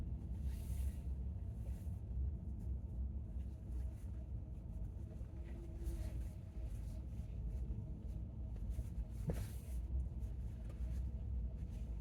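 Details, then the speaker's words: 2019 Chevy Bolt circling a parking-lot island twice on slow left turns at 50°F: steady road rumble and faint motor hum, no creak at all. The creak occurs only on low-speed right turns, mostly as the wheel straightens. "Okay. So that was 2 times around again, but going left. So it didn't happen at all going left."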